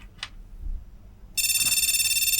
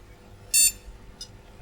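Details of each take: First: Flea-market retro PC motherboard powered on with no RAM installed after failed capacitors were replaced: quiet, then a continuous rapid warbling beep at power-on. POST beep code for no memory installed. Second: Retro flea-market PC with both RAM sticks detected: single short, clean high-pitched beep in a quiet room. A normal POST before booting Windows XP.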